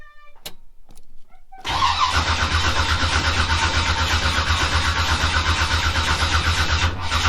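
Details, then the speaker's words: Twin-turbo (twin GT45) 468 big-block V8 with AFR 305 heads and Holley EFI, first start after reassembly: short crank, then a loud, slightly lumpy fast idle with uneven pulse, smoking because tuning isn't right yet. "And it smokes a little bit because I don't have my tuning right."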